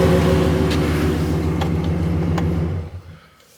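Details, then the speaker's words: 2016 Ram 1500 after replacing the fuel pump (Delphi FG1439) to fix code P0463 for the fuel level sensor circuit: steady, even low rumble with no misses, knocks or sputter; normal running. "so I just wanted to fire it up make sure everything's working make sure the fuel gauge is reading make sure it's starting up and running"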